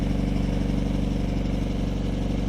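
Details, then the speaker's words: 1964 Triumph Herald, roughly 1200 cc with about 60 hp, new carburetors and a stainless exhaust, after a fuel pump rebuild. Smooth, even, low burble at steady idle with no misses or knocks, a clean exhaust note. "nice even tone too I don't know what it is but the small Herald engines really sound good"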